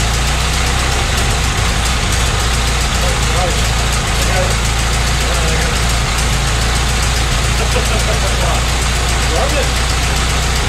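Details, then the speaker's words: 1925 Ford Model T C Cab, mostly stock with distributor conversion, first run after sitting a couple years: quiet, steady low four-cylinder chuff at idle, expected to burn off some oil, running happier with a little more spark advance; normal idle. "you know it's actually kind of quiet it is quiet isn't it you can tell if i mess with the advance it oh yeah it's happier for a little more advanced there"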